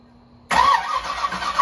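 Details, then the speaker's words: 1984 Camaro Z28, supercharged 355 small-block with Brawler 750 carb, sat over a year: with starting fluid sprayed in the carb it bursts roughly and briefly, then stumbles without settling. Owner suspects the timing is completely off. Brief firing on starting fluid. "I'm gonna try spraying some in the carb seeing uh see how much will start I'm sure the timing is completely off"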